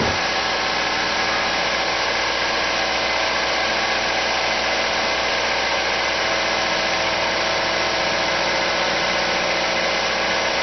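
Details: Unnamed car engine idling fast and even with a busy, raised tone and no misses. It revs up at cold start and in N or P, and revs when braking. The owner suspects a vacuum leak, but a carb-cleaner spray test found no leak.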